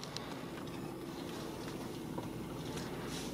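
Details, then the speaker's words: Mazda, engine idling while steering wheel turned after power steering system was bled: steady low hum, no whine or groan from the pump; noise fixed. "can see you guys absolutely no noise at all so I'm pretty pretty happy with the results guys you can see that definitely fix the problem"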